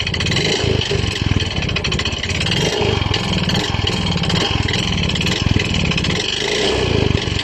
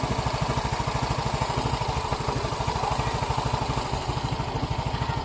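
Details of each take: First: Yamaha Mio i 125 scooter engine, noise that began suddenly a few weeks ago: loud, steady rapid knocking over rough running; piston slap and connecting rod knock sound alike, so seat, box and battery must come off to confirm which. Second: Yamaha Mio i 125 scooter after repair of head ticking and piston slap, problem confirmed in cylinder: even putt-putt idle about three beats a second, no knock or tap, sounding like original brand new.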